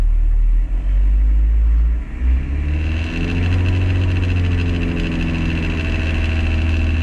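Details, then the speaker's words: 2003 Toyota Kijang Kapsul LGX with 2L diesel, engine above 2000 rpm: idle rises to a steady drone with a buzzing rattle; gear shift lever vibrating loose in its housing, fixed by replacing the lever bushing. "Mohon dipahami, tampilan getaran ini sangat tidak nyaman dan sangat mengganggu ."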